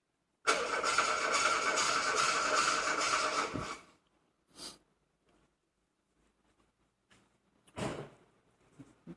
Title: VW Golf 2 won't start